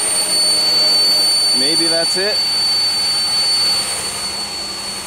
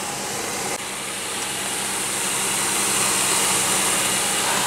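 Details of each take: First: 2001 Pontiac Aztek GT, recently rebuilt engine, idling: a steady thin high-pitched whistle over the idle, suspected vacuum leak at the intake plenum gasket. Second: 2001 Pontiac Aztek GT after engine rebuild, once loud high-pitched noise source was found and fixed: smooth steady idle with even hiss, no whine or squeal, shaking reduced; misfire code still showing.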